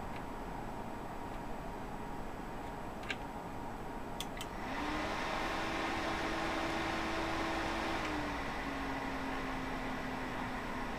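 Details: Goodwill used PC with Windows XP that would not start because of its power supply, now on a replacement power supply: a few clicks, then a smooth whir that spins up and settles into a steady even hum; fans run normally.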